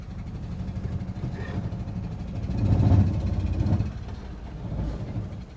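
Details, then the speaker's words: 2011 Renault Sandero 1.6 after new MAP sensor and throttle position sensor: uneven, lumpy idle surging and dipping every second or two with a faint stumble; shaking reduced but still misfiring with low power, cause not found. "well the shaking is not as bad as as it was but the power is still not there"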